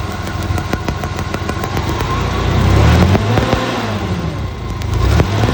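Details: Hyster forklift with Vortec V6 running rough: uneven stumbling beat with sharp irregular clicks from a shorting spark plug wire causing a misfire.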